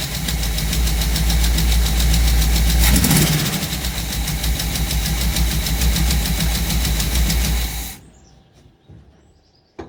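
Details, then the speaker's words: 1958 Chevrolet Biscayne V8 after Rochester carburetor rebuild: loud idle with loping uneven beat, about three pulses a second, heavy smoke; sounds like a missing cylinder, owner suspects valve seals or rings, compression test planned. "but runs still sounds like it's missing a cylinder though"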